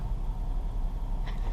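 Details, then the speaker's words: 2005 Ford Escape idling after a fuel filter install: even, low rumble with a steady beat, no misses, stumbles or hiss. No fuel leak seen or smelled, the warning light is now off, and it runs good; it may need spark plugs. "But it sounds like it runs good, as you can hear."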